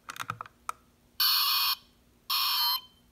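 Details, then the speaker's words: Smoke detector with its battery removed and the test button held about 15 seconds: button clicks, then two loud, shrill half-second alarm blasts powered by leftover stored charge. "for about 15 seconds and as you could hear there was an additional electrical charge still stuck inside the internal electrical portion of the detector"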